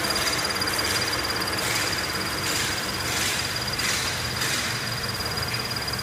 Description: Some Scion FRS vehicles may exhibit a high pitch chirp or squeak noise from the High Pressure Fuel Pump Assembly when the engine is fully warmed up and idling.